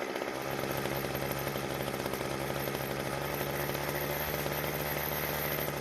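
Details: Weed Eater hedge trimmer after replacing the brittle, leaking fuel lines and the primer bulb: the two-stroke holds a steady, even buzz with no surging or stumbling. Now runs smoothly.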